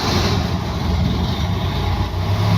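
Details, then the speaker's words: Mercedes W123 230, first start of the day, engine very cold: deep even low rumble settling right after starting, good oil pressure, no knocks, misses or rattles; normal cold start and idle. "And if we actually listen to this baby, still cold. Ooh, very, very cold. This is the exhaust starting to heat up. Yeah, still really cold. Sounds nice, doesn't it?"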